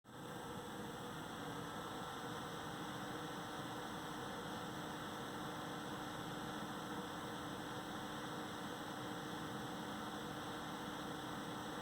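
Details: AMD Wraith Spire CPU cooler on a Ryzen 3400G, BIOS updated, fan setting between 50 and 90: steady airy rush with a droning hum and faint whine lines on top, unusually loud, strange noise.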